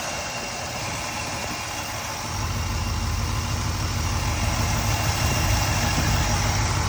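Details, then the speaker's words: Freshly rebuilt Chevrolet 350 small-block V8 in an El Camino, running after a major cooling-system air pocket, about 180 degrees: steady, even idle with smooth low rumble, no knocking or ticking; normal idle. "I don't have one of those big buckets that sit on top of the radiator like that, but it seems to run pretty smooth. It's running right about 180, I think John said."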